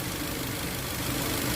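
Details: Toyota Avanza 1.5 G that had a crank-no-start fault with codes P1604 startability malfunction and U0167: short stretch of even petrol idle with a steady low hum and no knocks, misses or rattles; normal idle.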